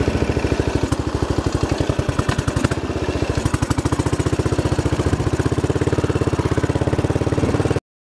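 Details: Royal Enfield single after stripping and cleaning, needle level readjusted; fast idle with uneven beats and occasional stumbles; revs sometimes hang high, mixture screw very sensitive; owner suspects air leak or something still blocked.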